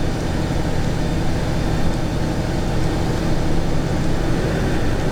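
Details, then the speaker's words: 2017 VW Golf Alltrack (MK7) after replacing the noisy HVAC blower fan (part 5Q1819021E/H): steady rush of air over a smooth motor hum, no squeal or scraping. The new blower runs normally. "So there it is with power. It sounds like it's making noise, but that's just the motor."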